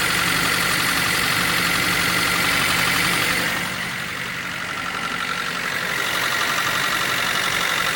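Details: Nissan S13 engine idling with a fast, even high tick, about four a second, over the running noise; abnormal engine noise, cause unknown.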